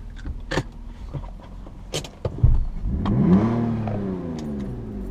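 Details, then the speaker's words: BMW 323i, needs tune-up and fresh gas, during slow three-point turn in reverse and drive: a few sharp knocks from the front, owner hears the control arm again; control arm clunk. "throw in reverse crank it back her up thor drive pull right here hear that control arm again"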